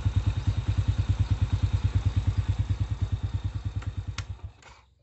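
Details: Honda Astrea/Supra single-cylinder idling after repairing a loose camshaft bearing seat without machining: even, regular thumping with no clatter, then switched off and dies away; engine now runs smooth and quiet.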